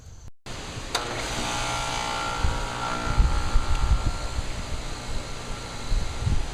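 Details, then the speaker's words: Payne heat pump outdoor unit forced on by pushing in the contactor button: sharp click, then compressor and fan run at a steady low hum, no knock or rattle, pipe getting cold; unit is fine, suspected wiring break from the thermostat. "Okay, the pipe is getting cold. That means the outdoor unit is fine."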